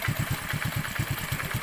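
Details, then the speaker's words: Honda Blade (Revo Absolute) single-cylinder, cold start after camshaft bearing replacement and valve adjustment: even idle with a faint light tick. The automatic cam chain tensioner, its spring just replaced, hasn't filled with oil yet and should quiet down. "ada krecek-krecek sedikit itu e apa namanya tonjokan si otomatis tonjokan ketengnya belum terisi oli ya Jadi ada ada kretk-ketk sedikit ya"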